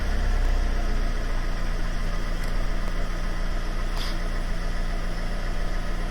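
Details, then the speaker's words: 500 with a persistent lumpy tickover, just restarted after a replacement throttle body was fitted: low, uneven rocking idle unchanged, so not the throttle body; owner suspects fuel rail/injectors next; rough idle. "Right. Yeah, no, it's the same. So it's not that either."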